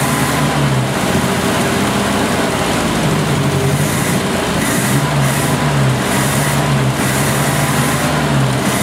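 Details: 1970 Opel GT four-cylinder sat about 30 years, after carburetor change (Solex replaced, manual choke), new points, new Bosch Platinum plugs, choke fully open: slightly uneven lumpy idle with the odd dropped pulse; slight misfire, rough idle.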